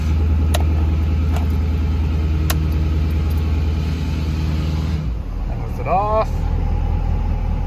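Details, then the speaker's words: 2013 Ford Power Stroke diesel, command-started with no key after rewiring so the high-idle mod goes live with engine running: steady raised idle with even, smooth clatter, then drops back; high idle works. "now let's command start it and make sure it works right the high idle perfect so no key in the ignition"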